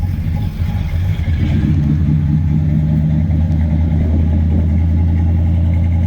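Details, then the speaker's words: 1990 Chevrolet Caprice daily driver V8 before power steering hose and vacuum line repairs: steady even low rumble at idle with no misses, knocks or ticks; motor runs really good, normal idle. "Like I say, he drove this car every day, like a daily. He drove this car. So let y'all check it out and hear it. Motor runs really good."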